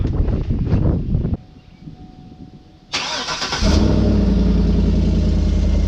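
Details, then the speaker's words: 2013 GMC Yukon Denali AutoRide (Z55) air suspension, newly installed air compressor: engine starts, steady low electric hum under idle, no rattle or strain; air bags fill. Normal air suspension compressor running. "I'm gonna start this thing up. We should hear that compressor turn on."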